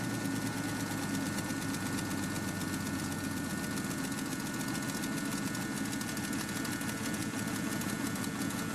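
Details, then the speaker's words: REO M-35 truck at a very cold start, held just off idle with throttle while warming. A steady, slightly uneven low rumble with a little trouble idling is normal for a cold start. "So this time the truck started and we used the throttle to keep it running as it was really cold, and so we needed to let it warm up a little bit."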